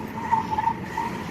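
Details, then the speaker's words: Crashed Honda Accord driving slowly with a bent, crooked wheel and rim, possibly a bent suspension arm, and the steering wheel off-center: a faint thin squeal comes and goes over the rolling noise as the tire scrubs. "Because this wheel is crooked because it's bent."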